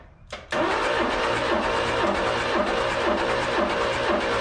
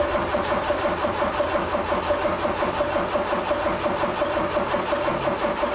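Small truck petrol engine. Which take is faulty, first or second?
second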